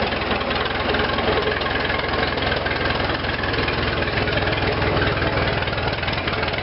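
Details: Restored Farmall Regular tractor, started with choke, half spark and impulse, idling: steady low pulsing at about three beats a second, even and unbroken; normal idle, though elsewhere it ran bumpy as if short of fuel.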